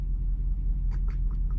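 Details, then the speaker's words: Dodge truck that sat seven or eight months, warm after first drive: deep even idle with light quick ticking on top, attributed to exhaust with lifters audible; valvetrain tick suspected, not confirmed. "that sounded healthy you know the tick is from the exhaust but it's not obscenely loud so we can hear those lifters"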